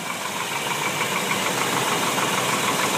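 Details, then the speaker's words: 1998 Chevy 350, 180,000 miles, warm after a few minutes, 50–55 psi oil pressure at idle: quick metallic knock of about 200 a minute, quieter than when cold. Cause unknown; owner wonders about the water pump or front pulleys. "this is after a few minutes of warm-up it's definitely still knocking not as loud"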